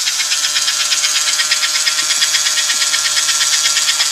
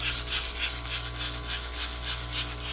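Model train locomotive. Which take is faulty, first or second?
second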